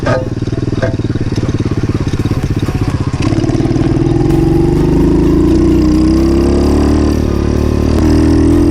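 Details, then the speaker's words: 50cc two-stroke pit bike revving uphill: rising drone with an extra scraping rub layered over it; rider unsure of the cause; tyre rubbing on the skid plate. "Oh, something doesn't sound right on this. I don't know what that is. I have to be careful. Something doesn't sound right at all on this."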